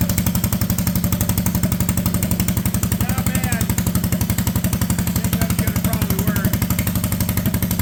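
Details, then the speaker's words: Honda Odyssey go-kart with a cheap used single-cylinder engine and budget aftermarket clutches, engine tacked in place, park brake set, testing whether it creeps at idle. Crisp, evenly spaced putt-putt at a steady low idle with no misses or rattles: normal idle. "I have the engine tacked back in place with the other clutch setup on so we'll start it up here and see if it wants to walk away at I idle"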